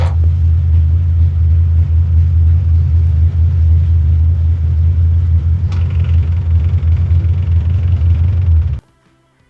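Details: Ford flathead engine after Helicoil repair of a damaged aluminum spark plug thread: strong steady low drone holding an even note without stumbles or misfire, then shut off; runs smoothly.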